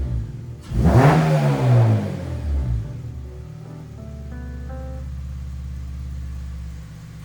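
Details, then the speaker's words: K24-swapped 8th gen FA5 Civic Si, just fitted with an Rtunes cold air intake and throttle body coolant bypass: a quick throttle blip gives a sharp rising and falling intake roar, then a smooth idle; healthy, open induction. "hi guys as you just heard very loud even just a slight blip of the throttle you hear that throttle body opening and all that nice induction sound"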